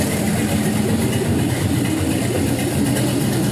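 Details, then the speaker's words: 6.0L LY6 gen 4 LS with 5.3L 706 heads and a 220/224 cam, on the run stand just after cold start at 91 degrees: smooth, even low rumble, steady idle set at 650 rpm, no smoke, no misses or hunting; healthy. "it's idling about where we have it set at 650 that's fully adjustable but right now it's sitting about 650 and it seems pretty happy"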